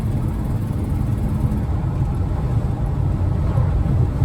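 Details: Bullnose Ford F-150 driving after a no-spark fault, likely a dusty, loose coil wire at the distributor; needs a new carb and shakes on cold start: deep steady drone, no misfire or stumble; ignition firing cleanly, running normally.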